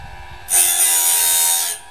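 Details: Portable sawmill band blade sharpener with feed backed off: a brief high, even buzzing hiss lasting about a second as the wheel just nicks the tooth, a correct light grind.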